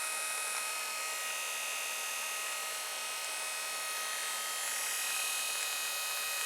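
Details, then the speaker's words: Brushed 24 V 350 W 3000 rpm eBike gear motor BY1016Z, 9.7:1 reduction, about 300 rpm output, shredder drive, unloaded on 24 V at full speed: steady high-pitched whine and even buzz, no knocks or grinding; spinning freely and healthy. "but not too loud. I mean, if you had that on a bike outside in the traffic, whatever, I don't think you'd hear it very much. And probably this is, well, going full pelt, I reckon."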